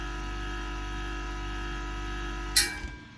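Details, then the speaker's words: Gaahleri Apex Force ultra silent airbrush compressor filling its tank: quiet steady motor hum growing slightly noisier near 90 psi, then a sharp metallic ping as the pressure switch cuts off at about 116–117 psi; normal cut-off. "There you go, you heard it ping off, and it is at, yep, it's about 100, and according to the gauge, it's about 117 psi."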